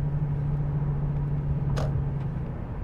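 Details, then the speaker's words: 2001 Lexus LS430 with 628,000 miles, driving at speed and still cold: a steady low hum under road noise that changes when swerving right, judged to be a left rear wheel bearing. "I immediately hear a wheel bearing noise feel like from the back"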